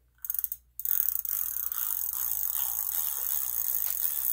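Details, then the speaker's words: Huffy Trail Runner bicycle freewheel spun by hand: loud, fast, gritty ratchet buzz from a dry, rough freewheel, getting quieter as it is filled with Tri-Flow oil. "and I usually fill it up and spin it and you can hear it getting quieter already"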